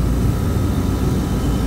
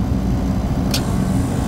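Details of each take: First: Beer walk-in refrigeration compressor pumping down, should cut out around 30 PSI: steady deep drone with no break or cutoff, starting to bypass; faulty pressure control won't shut the compressor off. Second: Refrigeration compressor just started after a phase-rotation check while refrigerant is being charged: steady deep hum with no rattling or labouring; it is rotating the right direction and running normally.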